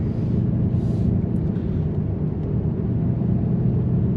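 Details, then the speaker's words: 2010 Dodge Charger 3.5L V6 after timing belt, water pump and thermostat replacement: a deep, even idle with no knocks or squeals. Brief lifter ticking on cold start, normal for this engine, goes once the oil circulates. It runs healthy. "sounds good you can hear some lifter noise when i first started the engine up not uncommon this thing cold starts that lifters they tick away"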